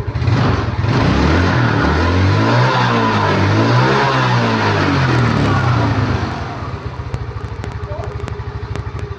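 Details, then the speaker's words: Yamaha Mio Smile scooter that lost power after about 40 km, after adjusting the carburetor screw to 3 turns: starts instantly, throttle blips rise and fall cleanly, settles to a steady, even idle; normal revving. "Nah, dia langsung nyala ya, tidak kesusahan seperti yang sebelumnya tadi. Oke, mantap ya. Terus langsung kreng. Gas."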